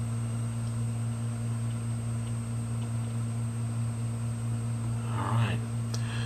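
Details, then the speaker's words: 500GB hard drive after head replacement, powered on in a data-recovery imager: steady low hum with no clicks, scrapes or spin-down cycling; drive spins up normally and sounds healthy. "we'll go ahead and power this drive up okay a second there I didn't think it was going to spin up even see it's in a busy State"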